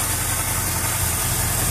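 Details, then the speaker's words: 1999 Chevrolet Camaro Z28 LS1 5.7 L V8 with Spintech muffler, after new serpentine and A/C belts: smooth even idle, steady low rumble, no belt squeal or chirp; squeal fixed, pulleys fine. "Got new belts put on. Car's quiet as hell now."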